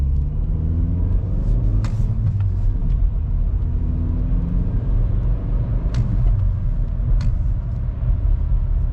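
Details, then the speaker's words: VW Golf Mk5, 50,000 km, driving after cable ties secured the fuel hoses moving inside the frame (the rattle began after a fuel filter change): a steady road and engine rumble with no interior rattle, the noise gone. "So let's call this job done. No more weird rattling noises coming from the inside of the car."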